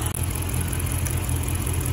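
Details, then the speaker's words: Dodge Charger R/T idling with coil packs unplugged one at a time during diagnosis: low, lumpy idle with uneven chuff and shake, missing on two cylinders; coil pack number six confirmed bad. "okay guys so confirmation there that the call pack number six is bad"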